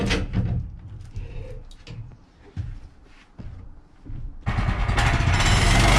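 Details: Bandsaw sawmill cutting 3/4-inch by 6-inch pine boards after the blade was refitted; lubricant mix cut back after too much Pine-Sol made it jump off. Handling noise, then a steady even blade hiss with no slap or chatter; blade stays on, cuts normally.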